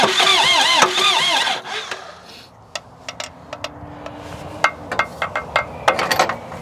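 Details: Presumed mid-to-late-1980s L 844 TT 34 Highlander II diesel telehandler, bought cheap, normal crank and start: a strong even crank catches within about a second and a half, then quiet ticking follows; the starter turns it over healthily.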